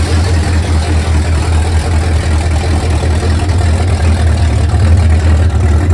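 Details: 1971 Mercury Comet GT 347 V8 after warranty repairs and engine reinstall, no mufflers or hood, test drive in snow: loud, deep, uneven-sounding open-header burble holding a steady idle without misses or knocks; normal idle on open headers.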